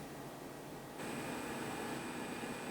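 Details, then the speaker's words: Dell DN004 heatpipe cooler (from XPS 400) adapted to an AMD Socket AM4 CPU; under load a soft steady fan hiss stepping up slightly with no rattle or whine, running cooler and much quieter. "So not only does it run cooler, it's quieter. A lot quieter."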